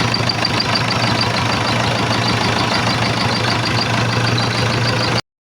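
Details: Old-model Isuzu 4BC2 diesel from a PUJ, just overhauled, with new sealant underneath after an oil leak; started after timing was set and it fired on the first crank. Even, steady idle with a regular firing beat, no misses or knocks; being monitored for leaks.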